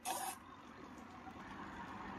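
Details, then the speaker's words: Semi-automatic washing machine, spin-dry motor tested after repair (one of two motor capacitors had lost capacitance, replaced with 12 µF): brief hiss at switch-on, then steady low hum as spin motor starts and turns normally. "听一下它在转动了。这个位置是脱水的马达，正在转动。"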